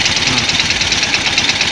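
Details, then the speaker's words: Yamaha Jupiter Z1 with rough-noise complaint and top speed only 60–80, exhaust blocked to hear the engine: harsh, busy metallic clatter at idle, heard clearly at one spot on the engine; the source is not yet found. "nah nah di sini juga ada suara menggelitik ini terdengar jelas di bagian sini tapi kasar begitu"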